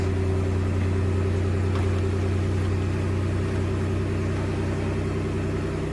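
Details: Toyota Alphard that would not start (suspected blown fuses), started by touching the key chip: steady even idle hum, smooth low drone, no knocks or misses; running cleanly.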